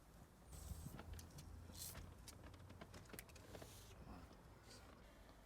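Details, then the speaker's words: 2012+ VW Golf Cabriolet power window after brake cleaner and WD-40 sprayed on the wrong, metal sections: faint squeaks and chirps over the motor hum as glass travels; dry plastic guides still squeaking. "the first layer of dw40 didn't really do too much because i was spraying the wrong section but this is literally a squeak that i was trying to get rid of"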